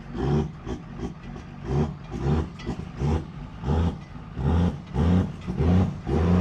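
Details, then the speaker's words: Second-gen truck idling very high with no ECU codes because the engine computer reads coolant at -47, thinking it's extremely cold. Throttle is extremely touchy, and deep revs surge up and down with the slightest input. Erratic revving. "So, this is a high idle due to it thinking it's extremely cold outside. Get a load of this. This truck has the touchiest throttle I've ever felt."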